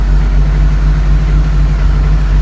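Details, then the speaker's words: 1983 VW Rabbit GTI, first fire-up of the rebuilt engine with a new clutch and exhaust extension pipe: steady, even low idle with no knocks or misses, good oil pressure, only a faint exhaust rattle; sounds healthy. "Well, pressure's good. Being a little rattle in the back. Exhaust. Yep, that's okay."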